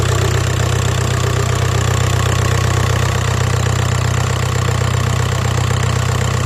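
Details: Engine with codes P1666 and P0301 (cylinder 1 misfire) plus an electrical error; steady low idle thumping with an uneven shaky edge, rough idle shaking from a cylinder misfiring at idle.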